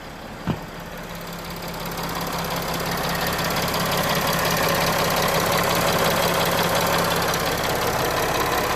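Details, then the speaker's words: 2013 Mercedes Sprinter van, 3.0 L six-cylinder turbo diesel, before AMSOIL engine flush and oil change: steady even idle with soft regular clatter, no knocks, misses or surging; sounds healthy. "I want you to hear and see what she sounds like before we do our engine flush"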